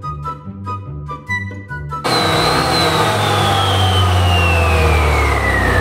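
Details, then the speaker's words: Yamaha All New Nmax 155 CVT upgraded (13.8° pulley, double clutch bell, 10/13 g rollers, 1500 rpm springs): revving with drive whine sliding in pitch as the belt climbs; smooth, no slip or rattle. "Nah jadi seperti ini suaranya guys kalau udah upgrade curian"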